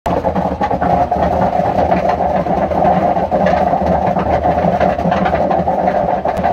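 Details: Hotpoint washing machine, kept in a shed, with long-failing drum bearings: loud steady rumbling roar with a gritty drone as the drum turns. Completely worn drum bearings; repair needs the sealed drum cut open.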